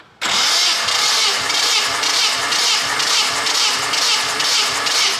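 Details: Engine cranking during compression test, cylinders reading about 200: starter turns over at an even pace, two to three beats a second, no uneven or missing beats; healthy compression.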